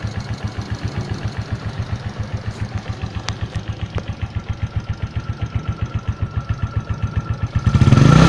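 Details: 2004 Suzuki Shogun 125R, clutch plates, clutch housing, cam chain and its rubber replaced a year earlier: even low thumping at idle, about 220 a minute, then a rev, with an unexplained noise behind it; engine noise, cause unknown.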